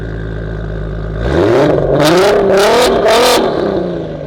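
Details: RS3 with a stock 3.2 VR6 and 79 mm turbo on low boost, recorded from the back on a night road run: pulls cleanly from a low burble to a loud rising rev and eases back, with no stumble, knock or misfire.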